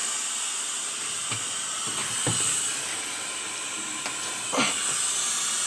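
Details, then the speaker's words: 1953 GE locomotive last run in 1998, charging and building air slowly: steady high hiss of escaping air under faint mechanical clanks; air leak somewhere down low. "There's definitely an air leak somewhere. I hear it down there."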